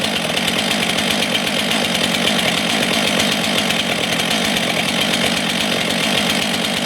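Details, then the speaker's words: Brand-new Stihl MS 462 C-M or MS 661 C-M chainsaw at first start of break-in, chain tension checked. A high, raspy two-stroke buzz held steady with no surging or misfire, very loud; normal running. "So people weren't kidding. I would not suggest running the saw without ear protection."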